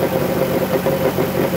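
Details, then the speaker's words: Dodge Grand Caravan 3.6 V6, 133,000 miles, at idle: light fast metallic rattle from bellhousing, not lifter as others suspected nor rod bearing; cracked flex plate. "I'm gonna show you what the complaint is hopefully you guys can pick it up in the video it's that rattling sound"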